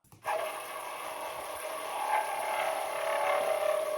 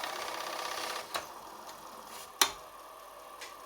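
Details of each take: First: Commodore 4040 dual floppy disk drive: shrill steady screech over a whirring spin for about six seconds; fine for first seconds then screeches, worn drive motor, likely carbon brushes. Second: Commodore 4040 dual floppy disk drive, which initially would not boot, powering on after cleaning and refurbishment: a soft steady whir with a couple of sharp clicks, and the drive comes up normally and is recognized.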